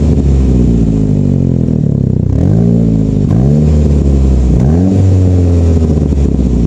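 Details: Saab 9-5 exhaust leak from a flex pipe broken over winter, a common issue on these cars: loud, raspy blat on each rev that rises and falls with the throttle.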